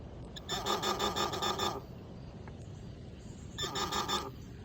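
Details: Garrett Pro-Pointer AT ("carrot") pinpointer gives two bursts of rapid buzzing beeps, about three per second, over a quiet background. It is detecting a metal target during distance tests, picking up bolts and screws at about three to four inches.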